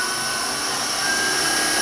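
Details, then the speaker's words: Wood lathe turning a walking cane blank that is fairly evenly balanced, with the speed turned up before the center support is fitted; steady high spinning hiss with a faint buzz creeping in as the piece starts to vibrate. Needs center support. "the piece is pretty well evenly balanced, so you can turn the speed up pretty good. You can hear it starting to vibrate now. That's how you need the center support."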